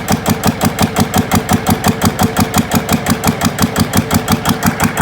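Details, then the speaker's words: GA70 single-cylinder diesel on a stand; water entered the sump, and the sump breather appears blocked: even steady thumping about 171 beats a minute, no misses or knocks; normal running, good compression. "แต่ว่าแล้วเครื่องแรงอัดดีอยู่นะ"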